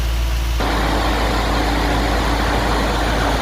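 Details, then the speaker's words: Nissan D40 Navara with replacement V8, fan controller unplugged: loud steady roaring rush over low V8 idle, hydraulic cooling fan at full power; working properly. "bloody tornado that's just idling never heard that thing run actually it's never needed it absolute screams"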